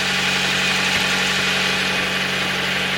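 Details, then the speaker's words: Nissan 100NX petrol engine after misfire repair work: idles smoothly and evenly with no stumble; misfire appears fixed. "sweet as a nut that has got no misfire"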